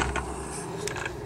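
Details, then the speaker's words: Logitech MOMO Racing force-feedback wheel with the driver installed: gritty whirring with creaky ratcheting from the gears as the motor turns the wheel, less audible when held; owner suspects a gear problem. "шестеренка там подходит вот такой звук но если держишь в руках по не так сильно слышно"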